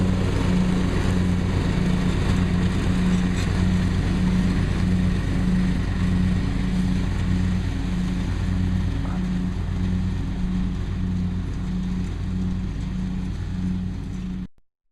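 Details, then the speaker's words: John Deere STX38 Hydro lawn tractor after new carburetor and oil change, float had stuck and filled crankcase with gasoline: steady, even single-cylinder drone holding speed while mowing, no surging or misfire. Finding: normal running under load. "adjusted the throttle seems to run fine seems to cut grass fine"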